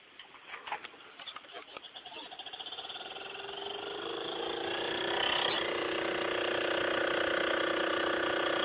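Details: Montgomery Ward CED player after new belts and pulley: rhythmic rubbing buzz about three beats a second smoothing into a steady hum as the disc spins up; new pulley set too low and rubbing, cured by adjusting it.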